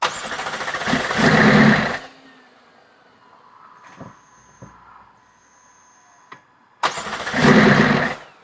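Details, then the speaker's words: McLaren 650S, possibly blown motor or overfilled oil, previously lugging and misfiring: starter whirs, engine barks briefly then dies, cranks again and fails again; won't stay running, then won't crank until codes cleared; charge pipes off. "You want me to keep cranking it? Yeah, crank it again. It's not cranking again. Okay, we'll have to clear the codes to get it to crank."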